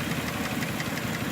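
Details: Nissan Murano V6 with code P0303: idle lopes with a steady stumble and uneven chuffing pulses, cylinder 3 misfiring from lost compression, found by a relative compression test without removing the intake manifold.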